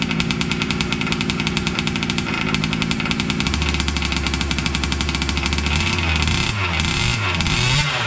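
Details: Losi 5T 2.0 gas two-stroke RC truck on VP fuel after about four to six months stored, choked, started on the workbench up on tires: a rapid, crisp buzz at steady idle, then blipping up and down cleanly; normal running.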